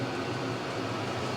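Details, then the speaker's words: Vevor 8 kW diesel heater test run in 12 by 14 ft shed: steady even rushing roar from burner and blower, no rattles or pulsing, blowing hot air, no error codes; normal running. "the test Run's going well I'm pleased with it everything seems to be working it's blowing hot air everything's working as it should nothing's making weird noises or anything like that no error codes"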